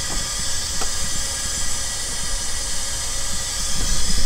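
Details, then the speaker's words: Engine leak-down test after sitting, barely run: steady hiss of air escaping into the oil pan/crankcase on that cylinder; worn rings/cylinder walls suspected, or rings possibly not yet expanded. "we haven't really ran it but we're getting air through the oil pan on that side of the cylinder"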